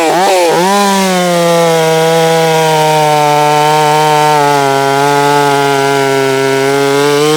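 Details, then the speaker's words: Holzfforma G660 chainsaw milling, previously losing power at top-end rpm: slightly four-stroking at the top, it dips briefly as it bites, then holds a strong steady pitch through the cut without bogging; full power, low end possibly needing adjustment. "Before I couldn't, I wouldn't be able to stay in that cut like that."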